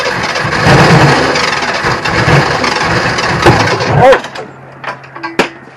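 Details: Ford Ranger on improvised fuel cell with manually fed fuel, having backfired earlier: loud uneven cranking with a few ragged firing attempts that never catch, then quiet; cranks but fails to start.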